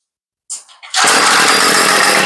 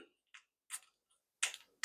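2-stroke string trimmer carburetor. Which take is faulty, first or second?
second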